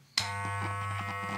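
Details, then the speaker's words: Wahl Super Taper hair clipper after motor and blade replacement: switches on and settles into a steady, even low buzz, no rattle or strain; now quiet with good power. "Ya, berfungsi dengan baik. Suaranya juga nggak bising. Kekuatannya sekarang oke."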